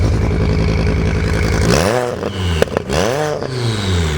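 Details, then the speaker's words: 07K turbo-swapped BMW E30 drift car, first test pulls after build: engine stumbles and blips unevenly, sounds like running on three cylinders; owner blames a leaky injector. Rough running misfire. "Shoot. Had a leaky injector. Sounds like it's on like 3 cylinders."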